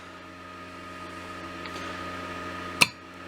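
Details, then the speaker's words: Solar charge controller with added heat sink: faint steady hum, then one sharp relay click as charging cuts off at the set 14.5 V; it clicks back in at 13.1 V; normal charging cycle. "you can see it gets to a high spot and then it'll go click which means now there's no more charge going into the battery bank"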